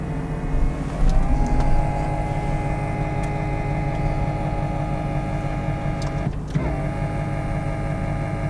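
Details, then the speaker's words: 2003 Ford Thunderbird with 68,000+ miles, convertible top button pressed with the engine running: a steady electric motor/actuator hum holds even over the engine as if driving nothing, and the top does not move. "I'm not exactly sure what the deal is with the convertible top. I was hitting the button in there. I heard the motor, the actuator or whatnot making some sounds."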